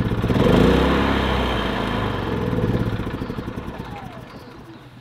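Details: Predator 3500 inverter generator with 18 hours of run time, eco mode off, before any repair: small engine with an uneven beat that drops and catches now and then. Owner suspects a clogged spark arrestor is causing the stumble.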